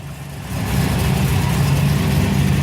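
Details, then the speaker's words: Car engine started after a clutch repair and bellhousing modification, with oil pressure showing again. It catches and settles within a second into a smooth, even low hum with no grinding or rattle, a healthy start before gear and clutch engagement checks. "So, we're up, we're running oil pressure again. Smiley face."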